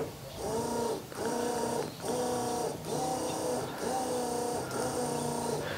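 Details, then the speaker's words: 1972 Ford F100 that has not run in over 10 years. Electric fuel pump crudely wired to the battery with alligator clips to fill the carburetor before a start attempt. Steady buzzing with an even pulse about once a second; pump running normally. "So I'll run it for a second, double check the carburetor, see if it sprays at all, and then we'll just send it. Feels like it's pumping."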